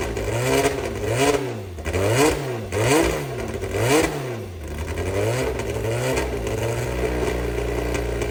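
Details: Brabham BT21 historic one-litre F3 race engine, first cold fire-up after rebuild (new crank, balanced conrods, new sump): catches, blips up and down cleanly, settles to even fast idle; oil pressure good, normal start and run.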